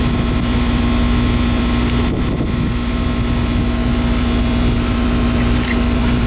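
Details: Newly installed replacement AC system with R-410 refrigerant, just started after installation: steady compressor hum with an even fan whoosh and some wind on the mic; running normally.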